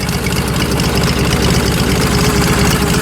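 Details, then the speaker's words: Ford 800 tractor with open pipes and a troublesome square carburetor: loud, loping burble at idle, steady and even with no misfires; fired right up, running healthy. "fired right up sounds pretty good though doesn't it"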